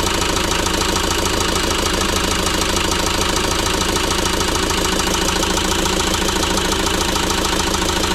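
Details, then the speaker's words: ~2006 JCB 180T compact track loader diesel running rough after swapping a suspect injector: uneven, lumpy clatter at idle instead of a smooth rhythm; the problem did not follow the injector, so compression in that cylinder is tested next. "so unfortunately the problem did not follow the injector so at this point we're going to go ahead and test the compression in that cylinder"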